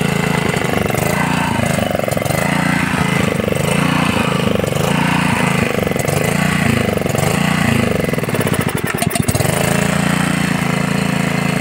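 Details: Honda GX80 water pump engine after tank, filter box and carburetor cleaning: small single-cylinder runs at steady, even speed with fast regular beat, no misses or knocks; healthy.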